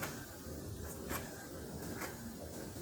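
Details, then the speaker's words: Bicycle with mechanical disc brake after the caliper was adjusted to stop the rubbing noise: the wheel spins quietly with only faint soft ticks and no brake rub. "Yap, bunyinya hilang ya teman-teman, bunyinya sudah tidak ada gitu."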